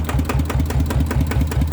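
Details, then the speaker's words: Yamaha RT100 two-stroke motorcycle before oil change: steady, even idle with a regular low putter and no knocks or rattles; engine running normally. "ฟังเสียงเครื่องดูครับว่ามันจะยังไงตอนที่ยังไม่ได้เปลี่ยนนะครับจับได้ชาติก็ปกติครับใช้ได้ดีเลยนะครับ"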